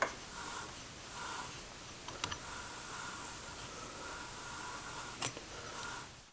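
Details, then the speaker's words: New replacement wheel bearing hand-spun in a vise: quiet, even whirring hiss with no crunching, grinding or catching, unlike the old clicking bearing that caused cabin whomping. "so no real like crunching or grinding or like catching sounds it's just nice and smooth and that's what you want to listen for so old bearing toast new bearing good"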